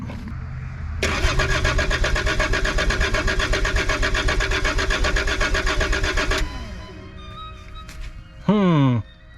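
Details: Abandoned Volvo 740 with D24T turbo diesel, exhaust stuffed with paper towels to test for an obstruction; even starter rhythm of about four turns per second for five seconds with no firing; long cranking without starting.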